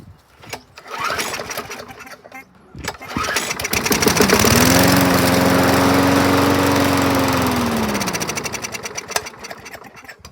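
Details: 2011 Yard Machines 21-inch mower with a dry-rotted filter, after starting fluid: the pull start catches and it revs to a steady even drone without misses and runs acceptably; it is planned for a carb cleanup, blade sharpening and fresh oil.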